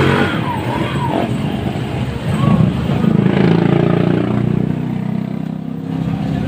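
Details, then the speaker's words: Motorstar Star-X 125 / Rusi 125 single-cylinder motorcycle after timing gear replacement and pin repair, formerly very noisy: runs and revs smoothly with no clatter or rattle over the exhaust beat; engine sounds healthy. "Okay mga boss Ayan umandar na siya So ngayon lang natin natapos kapon na yan okay na yung andar niya"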